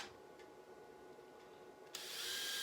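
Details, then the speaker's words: Epilator powered by an EcoFlow River Mini power bank: after a quiet pause a high, even buzzing whirr starts abruptly and holds steady with no rattle or labouring; normal running. "That's it, and we're off. You can hear it. Oh shoot! It's an epilator, Rob, not a shaver."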